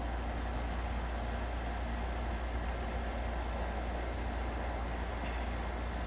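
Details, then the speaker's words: JVR Vac110 chamber vacuum sealer's oil-based pump running with the mic right against it: a low, even, steady hum with no rattles or surging, barely audible. Normal, quiet pump. "that's how quiet the vac 110 is pretty much right up against it you can barely hear it i can barely hear it"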